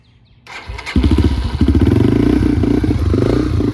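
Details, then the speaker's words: Yamaha TTR230, uncorked and rejetted, first start on choke with the idle screw turned up: the single cylinder catches after a few cranks and settles into a quick, busy idle, clearly too high. "Get all the air out of the carburetor. Idle's way too high, but sounds really good, actually."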